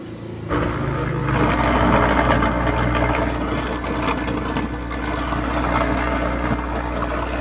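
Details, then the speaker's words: Sakura AV 735 amplifier: plugging the input jack into the A/B input brings a steady low mains hum with a gritty buzz through the speakers. Unplugging it stops the hum, tracing the fault to the amplifier, not the equalizer. "So kung maririnig niyo umuugong yung speaker bunutin na natin yan Pasensya na isang kamay lang medyo mahirap so yan binunot natin nawala yung Ugong"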